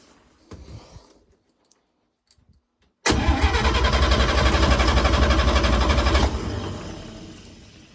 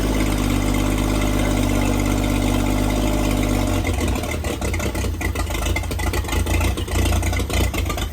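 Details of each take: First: 1954 International Metro van, engine just installed, strong even cranking at about four beats a second with no firing: cranks, won't start; acting like no spark. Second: 1954 International Metro van engine, newly installed, with only the electrics connected and fuel hand-pumped into the carburetor, catches and holds a steady, even idle hum, then turns uneven as the fuel runs down; it starts and runs.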